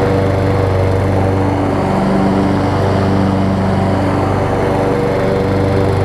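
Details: Over-20-year-old Craftsman riding mower, Kohler Command engine, on a test cycle after the wrongly fitted deck belt that locked the engine was refitted: steady, even drone at constant speed with no knocks, misses or squeals; normal running.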